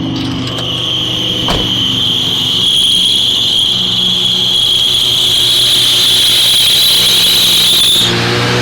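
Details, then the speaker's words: Fuel-injected gasoline Suburban just started after sitting: held at fast racing idle with loud steady high squeal from a bad alternator belt; owner suspects sticking throttle causing the racing. "okay think this throtle is a little sticky on it h i pretty sure the throttle's sticking that's why it was racing"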